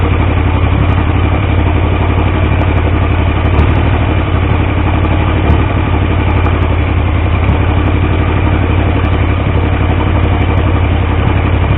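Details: Triumph T150V triple after head and cylinder rebuild to cure oil leaks: steady even exhaust beat at idle with deep low thump, no knocks or rattles; oil pressure about 70 psi revving, 40 psi under 2000 rpm; normal idle and rev.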